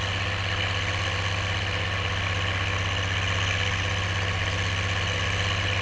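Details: Oliver 1550 diesel tractor pulling a JD BW disk about 6–8 inches deep, running well once whatever was in the fuel system cleared: steady diesel drone pulling hard with no misses, surging or knocks under full load.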